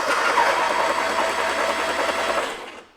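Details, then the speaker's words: 1960s VW Beetle 1500 air-cooled engine, unstarted since 1973 with 8,000 miles, cranked to circulate oil before the spark plugs go back in: an even three to four compression pulses a second, turning freely without firing. "I've got the compression let's run it a bit let some oil come around"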